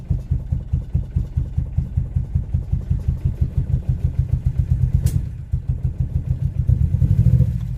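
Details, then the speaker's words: Boosted Civic with sticky valves, Sea Foam added to the crankcase: low, even idle with no misses or knocks; idling normally. "Come alive, just give her a second. See? Sticky valves. Now she's idling just fine."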